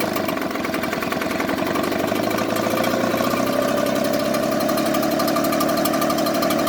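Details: Echo two-stroke blower idling: buzz wavers and stumbles instead of holding a smooth beat; rough idle.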